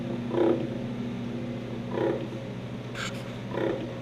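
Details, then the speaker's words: 1966 Ford Galaxie 500 convertible wiper motor under restoration: steady motor hum with a squeaky rub about every 1.5 seconds, once per sweep. Wiper linkage dragging; owner suspects the arm pivots need lubrication. "see if the wiper motor works and it does it sounds like something's rubbing on maybe I'll lubricate those the pivots on the arms but it works"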